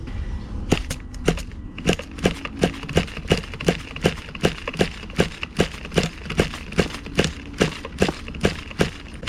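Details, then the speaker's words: Associated Nitro TC3 first-generation RC car, pull-start attempt: repeated sharp ratcheting pulls, two to three a second, no catch or firing; starter one-way bearing slipping. "I'll be honest with you, the one-way bearing, it's not very good. You could hear it. It slips."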